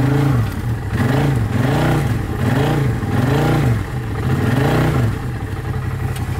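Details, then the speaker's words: 2012 Arctic Cat Wildcat 1000 side-by-side drifting hard in snow: engine pulls hard in repeated rising and falling surges about once a second, clean and strong, no knocking; normal under load. "I'm going hard on this thing, doing donuts, just drifting this thing hard, and it's not breaking."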